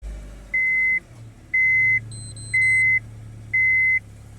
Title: How to Turn Off Seat Belt Light & Beeping Sound in Your Car